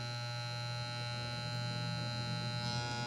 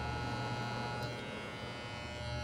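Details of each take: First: Wahl Legend hair clipper being adjusted after tightening housing screws: loud steady mains-rate buzz with harsh rattle, still noisy; blade adjustment not right, with loose housing or parts also possible noise sources. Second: Wahl Legend hair clipper after adjustment: a steady, even low hum with a faint buzz and no rattle or chatter. The earlier noise stopped once a small loose piece was refitted, and it now runs smoothly and normally.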